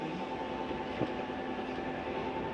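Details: Flagstaff 8528BHSS travel trailer slide-out retracting, heard from inside: even, quiet motor hum with steady tone and no knocks or grinding, plus a normal end-of-travel noise as the slide stops itself; normal slide-out operation.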